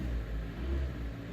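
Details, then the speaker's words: 2014 Hyundai ix35 restyling with 2.0 G4NA engine, automatic, front-wheel drive, 102,000 km, after repair of scored cylinders and piston knock; first start, smooth deep note rising and settling under revs, no errors or extraneous noises. "Пошло всё автомобиль у нас заработал никаких ошибок никаких посторонних шумов"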